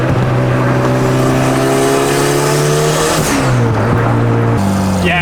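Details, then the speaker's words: Big-turbo Honda Civic after fixing a bad exhaust leak that caused bogging and backfire on shifts and lift-off: it pulls cleanly through the revs with a rising note and no popping on lift-off. "it's running so much better right off the bat um with the exhaust leak being as bad as it was every time I would shift or lift off throttle it would be like it would like backfire a bun I don't hear that anymore"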